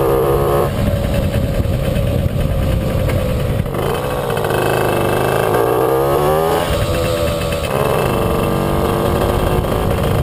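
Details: Puch Maxi moped "Jägermeister", 2 HP two-stroke, riding under load before repair. The drone hiccups and drops out now and then. Intermittent ignition misfire, not the carburettor: the NGK plug cap has a loose contact and a broken pin.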